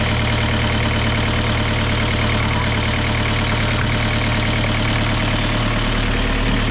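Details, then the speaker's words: Kia Ceed 1.6 diesel just started in frost (about -12 to -14 °C outside) with a Dnipro-M JS-12P jump starter after the battery died: steady even diesel clatter, no stumbling or misses; normal idle. "супер все Super Ну що народ Хай працює машинка"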